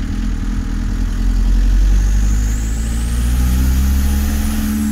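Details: VW T3 camper with TDI conversion, down on power with high fuel consumption: diesel pulls with deep drone while thin turbo whistle climbs as it spools; boost present but engine doesn't pull as strongly as before.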